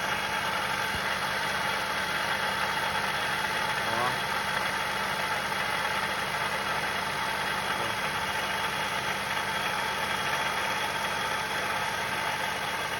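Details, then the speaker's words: Move engine at idle, getting louder: dull rough growl from the worn water pump bearing; water pump to be replaced along with the accessory belts. "é o rolamento da bomba d'água não tem jeito quando é assim ó aqui ó bomba d'água vai ter que ser trocada"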